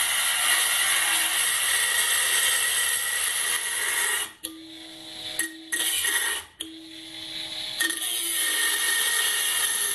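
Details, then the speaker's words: Banggood 220V 72W micro rotary tool at maximum speed with an oversized 75 mm disk: gritty high-pitched scraping as disc bites, clean motor hum in gaps, speed held; normal cutting under load through reasonably thick stock, motor stayed cold. "well actually cut through it I'm surprised it actually did that's not spinning you know we near the register the holder is it actually through this it's reasonably thick still that's pretty impressive really"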